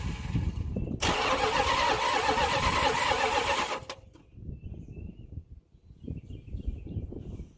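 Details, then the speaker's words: Dodge Ramcharger sat about 16 years, fuel pump hot-wired: starter churns about four beats a second with loud hiss, never catches; long crank no start from gummed carburetor with non-working accelerator pump, carburetor needs cleaning. "Well, this carburetor's so dried up, the accelerator pump is not working. Now it's not dried up, it's gummed up."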